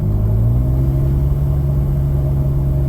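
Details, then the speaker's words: Nissan Xterra cruising, heard in cabin: deep, steady exhaust drone; muffler apparently chopped off and replaced with cherry bomb silencers, with an audible exhaust leak suspected. "so I'm driving and it is noisy so from what I gather he kind of chopped the muffler off and put cherry bombs on"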